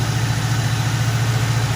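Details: 1973 Ford Mustang 302 V8 with 2150 two-barrel carburetor and automatic choke, choke opening as it warms: even low idle hum with steady pulse, no misses or knocks; normal warm-up idle.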